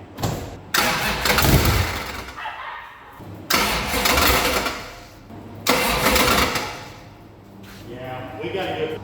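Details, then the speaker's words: Supercharged V8 burnout car (Homer), started after damage at a burnout event: loud revving surges over an irregular internal clunk. The owner suspects loose torque converter bolts or possibly valves rattling; the crank pulley was watched for wobble. Cause not yet found. "Something's not right in there, you all. All right, I'm going to get this thing up in the air and checking torque converter bolts. I'm hoping that's not something engine."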